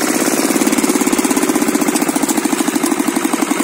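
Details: Kirloskar single-cylinder diesel that had been stopping while running, after the mechanic's fix: even thump at a steady rate, no stumbling or dying out; running smoothly.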